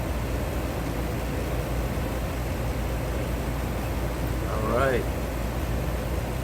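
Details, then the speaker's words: Carrier furnace HK42FZ011 after repairing control board relays burnt out by overheating from a clogged filter: relay click then steady even blower hum, no rattles or surging; normal blower operation. "there it goes I heard the relay click and now I hear the fan blowing"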